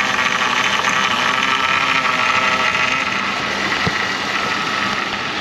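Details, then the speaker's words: 2007 Chevrolet Monte Carlo SS 5.3 V8 after reassembly, warming up: steady even idle hum, no misfires, belt squeal or whine after power steering bled. "engine sounds good there's no misfires occurring the belt is not sawing a hole through anything"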